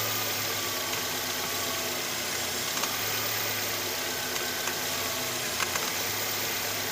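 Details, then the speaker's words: Petrol engine idling with the air conditioner turned on: hissy whirr with light irregular clicks and rattle from the auto belt tensioner pulley, vibration felt by hand; tensioner pulley replaced. "can see now that the air conditioner has been turned on, you can hear the rattling sound coming from the tensioner."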